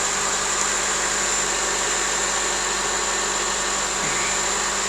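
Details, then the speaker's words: Honda CR-V with intermittent fuel pump relay problem: with relay negative terminal grounded, steady smooth idle with even hiss and faint high whine, no misses or knocks; no check engine light, no codes on scan tool. "there's no check engine light there's nothing wrong"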